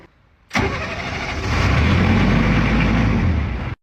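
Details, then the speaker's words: Used military diesel generator that won't stay running: catches and runs rough about three seconds, then cuts off when primer released; owner suspects 20 psi oil-pressure shutdown, overvoltage engine-shutdown light points to a suspected wiring fault, cause unconfirmed. "So it's killing itself as soon as I let go of this."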